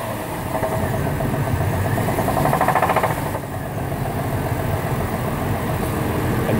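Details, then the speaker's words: 2008 Chevy Trailblazer idling with a spun rod bearing: deep repeated knock about three to four per second over the running engine, rod knock diagnosed with a cheap stethoscope. "got a 2008 chevy trailblazer it has an engine rod knock"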